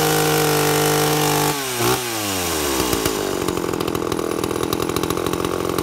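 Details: 2-stroke chainsaw with an impulse diaphragm carburettor, tuned by ear with the high jet set slightly rich. Revs sag as the bar bites into wood, then settle into a steady full snarl with no bogging. Carb tune right under load.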